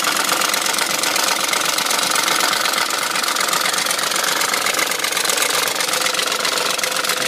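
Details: BMW M62 V8 at 510,472 km idling with a fast, steady metallic rattle about four per second over the engine; owner suspects timing chain guide rails, unconfirmed.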